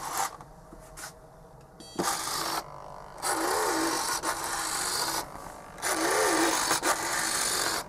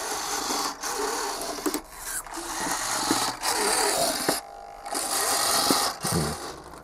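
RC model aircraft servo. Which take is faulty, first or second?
second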